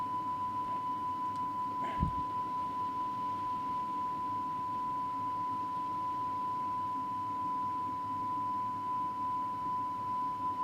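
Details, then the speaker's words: Cassette deck playing a 1 kHz test tape against a Rohde & Schwarz reference: tone wobbles with a quick, jumpy beat after the speed control was turned too far; tape speed set too fast. "too far too fast now just know it's very jumpy"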